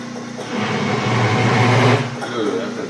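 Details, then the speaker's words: Small lathe drilling a go-kart rear-wheel part with a 3/4 inch bit: a low, labouring groan with rough chatter; the lathe is overloaded by the big hole. "that doesn't sound good. This little lathe does not like drilling big holes like that."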